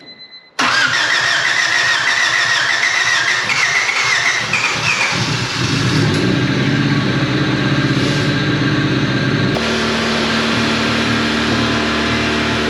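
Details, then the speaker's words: 1988 Honda CRX Si with neglected oil changes, first start: starter catches quickly, steady even idle with no knocks or rattles, heavy exhaust smoke likely burning off; engine sounds healthy. "But, it runs and the engine sounds healthy."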